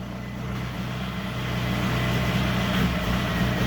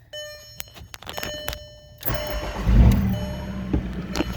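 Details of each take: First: VW Mk4 TDI diesel during parasitic draw diagnosis: uneven, lumpy, stumbling idle that sounds like a misfire; cause not confirmed. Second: VW Mk4 TDI diesel started with a jumper cable run to the 109 relay while diagnosing a parasitic draw. It settles into a steady, even, normal idle with no misfire.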